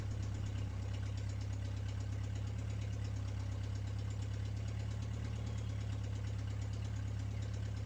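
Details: MG pulled from the woods, first start in 22 years after a new ignition switch. Cold engine starts without choke and settles into a low, steady, even idle with no misses; normal.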